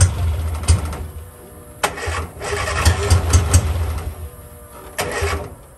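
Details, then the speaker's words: 1963 Austin-Healey Sprite 1098 with a Weber carburettor, first start in almost a year: catches in uneven bursts, surges and dies back, never settling to idle. Rough running after cranking; owner suspects the Weber needs looking over or rebuilding. "guys I'm not happy at all with the way that Weber carburetor is reacting and I'm gonna go ahead and pull it off it probably needs to be looked over possibly rebuilt"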